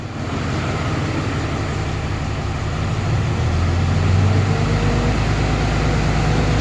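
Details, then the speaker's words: 2013 Cummins truck diesel after cylinder head replacement, warming up toward 160°F before thermostat opens, no oil leaks, turbo running well: even clatter at steady idle, rising slightly as it settles, no knocks or misses; normal idle. "like she runs good running really good"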